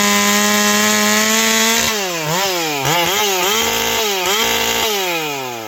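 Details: Ported Stihl 461 chainsaw after new Caber rings and repaired blown-out spark plug hole, full throttle in a log; high clean scream dipping slightly as the chain bites and snapping back: healthy strong cutting under load.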